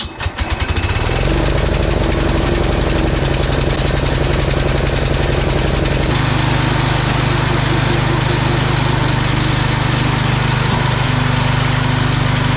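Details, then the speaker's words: Old Cub Cadet garden tractor, 10 hp Kohler single-cylinder, after carburetor clean and fresh unleaded fuel: catches and settles into a steady, even thump, running cleanly with no misses or knocks. "all right that was an easy fix this thing runs great just needed a good carb clean fresh fuel"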